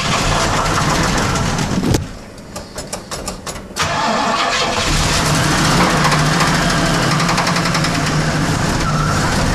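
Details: 1979 Pontiac Trans Am V8 running with a rough, steady knock about four times a second from a bad engine bearing.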